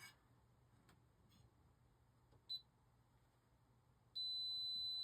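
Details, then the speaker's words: Arabian arcade game board during restoration, multimeter probing a part in circuit after suspected blown fuse: quiet bench then steady high-pitched continuity beep where there should be none; component suspected faulty, removed for testing. "Hear that? Shouldn't be doing that. But it is in circuit."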